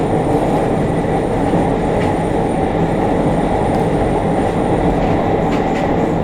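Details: JR Kyushu 303 series set K01, car 4 (MoHa 303-1), recorded with a built-in mic above the Hakata-end bogie on a rapid train between Shimoyamato and Hatae: heavy vibration and a coarse traction-motor growl that rises with motor speed; cause unknown.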